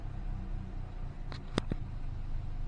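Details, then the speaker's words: 2013 Hyundai Elantra four-cylinder at idle after new spark plugs for a cylinder 2 misfire: a low, steady rumble with no stumble; it runs smoothly and the misfire seems fixed. "The check engine light will come back on, but the car is running smooth. So I think we fixed it."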